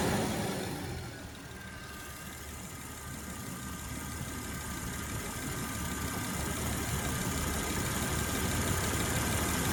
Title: Jeep wj amc 242 ticking sound